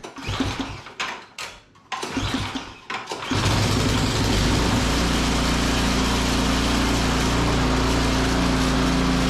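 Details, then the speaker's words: Snowblower being serviced for storage, started by pull cord after a belt change and a fix to an over-tightened bolt restoring spring tension. The small engine fires and holds a steady, even run with no misses or surging. "Beautiful. Really good."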